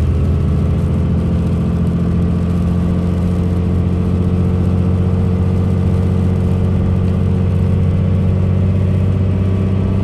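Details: Manual six-speed 5.9 Cummins diesel, 2002 Dodge Ram 2500 4x4, 113k miles, pulling uphill through the gears: deep even diesel drone under load with no knocks, whine or grinding; normal engine and transmission under acceleration.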